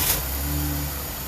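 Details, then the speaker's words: 2012 Dodge Durango 3.6 L that intermittently fails to start, suspected bad TIPM fuel pump control; the engine catches and runs for about half a second, then dies as the fuel pump loses power. "And the light stays on, but it dies. Now it turned off because it died."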